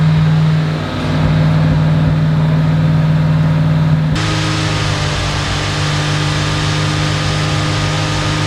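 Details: Fox Body Mustang V8, carburetor (not fuel injection), cold and warming up on the choke after a no-parts fix. Smooth, even burble at a raised idle with no stumble or popping; owner says it never ran smoother. Normal fast idle.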